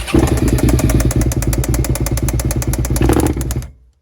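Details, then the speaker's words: 1999 Suzuki SV650 V-twin, 28,000 miles, stolen-recovered non-runner found with no oil: rough uneven idle with loud irregular bangs about three a second, then it stalls. Knock is intermittent; the owner wavers between bottom-end bearing/big end and top end. "it's intermittent so what is it like it's on and off is it the big end now it sounded more like top end to me"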